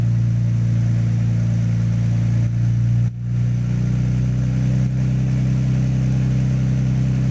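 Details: Nissan GTR on a dyno, engine holding a steady loaded drone with a few sharp stumbles and dropouts, clearest near three seconds; misfire under load, cause suspected but not confirmed.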